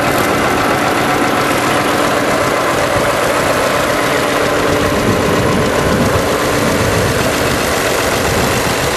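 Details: 1955 Allis-Chalmers WD-45 diesel tractor, unrestored, warm summer day, started after preheat with camera close: loud, even diesel clatter holding a steady idle with no misses or odd knocks.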